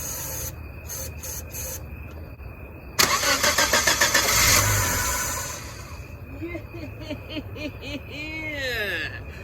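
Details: Chevy (Geo) Metro that stranded its driver; the starter cranks about a second and the engine catches only on sprayed carb cleaner, so fuel isn't arriving: failed fuel pump, tank then dropped to replace it.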